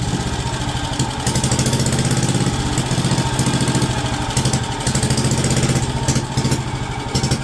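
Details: WWII Wisconsin AB Signal Corps generator, revived after about 70 years unused, almost warmed up with switches on, putting out about 12 volts on the low AC circuit. Steady, even low chugging with a regular beat, no misses or knocks; normal warm idle.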